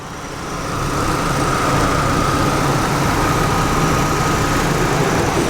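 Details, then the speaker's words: Chevrolet Aveo Ecotec 16-valve four-cylinder, warmed up, heard under the hood: it settles into a smooth, even idle with a soft steady hum and no ticking or stumbling; a good-running motor. "okay listen sounds good that's a good running lit"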